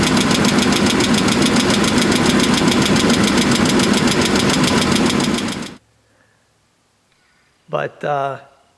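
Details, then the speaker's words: Chevrolet S10 pickup ("junk" project truck) at cold start: sharp, regular ticking about 214 per minute, steady over the engine, then shut off; owner first thought exhaust leak but doubts it, plans engine flush. Engine ticking, cause unconfirmed. "didn't sound that bad at first first it was just a little bit of a of a a tick I thought it was an exhaust leak but I really don't think that's what it is"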